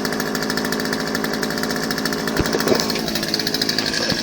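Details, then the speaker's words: Older Craftsman 16-inch 30cc chainsaw, cold start after six months unused, primed, choke left in, chain brake on: starts first pull. Crisp, rapid two-stroke firing runs even and strong with no misses. "we started up first ball it's really nice"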